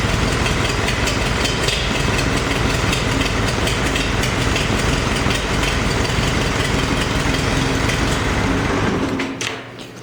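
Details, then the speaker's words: Farmall 350 diesel after new used pushrods: an uneven, lumpy idle with one cylinder not pulling; the cylinder was dead at light or half load but fired on all four when lugged in 5th gear, and cracking the number one injector didn't change the tone. Finding: misfire. "but as soon as you took a little bit of load off of it, or ran it about half the load, you could hear that dead cylinder, and it was just under a load."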